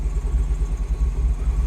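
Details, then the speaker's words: 2009 Mini Cooper R56 John Cooper Works, N14 engine, started after battery regeneration: idle surges and dips unevenly with no throttle input, a lumpy hunting beat; rough idle suspected from a faulty VANOS solenoid, starting better than before. "Running better than it was. Definitely starting better. You can hear it running rough. I'm not revving it. That's doing it all itself."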